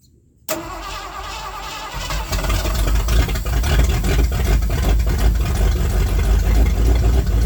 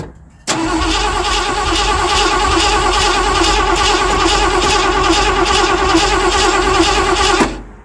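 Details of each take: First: 1979 Ford F-100 started after sitting for years, float bowls filled with gas: starter catches within a second, settles into a steady, even idle with no misses or knocks; healthy start. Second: 1979 Ford F-100 that sat for years, gas being poured into carburetor: starter churns steadily about three beats a second for seven seconds, never catches; cranks, no start.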